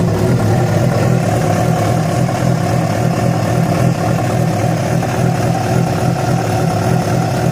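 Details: Yamaha FZ6 four-cylinder running steadily with a rough, uneven undertone through idle and revs; abnormal mechanical noise that began after riding about 70 km on two cylinders due to a failed ignition coil connector; source not pinned down.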